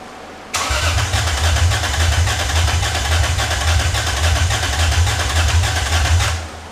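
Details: 2001 Lexus IS300 with the new aftermarket header replacing clogged cats: starts and settles into a lumpy, uneven idle with a pulsing low beat, a misfire; cylinder 4 compression and plug good, suspected cylinder 3 or 4, coil pack swap planned.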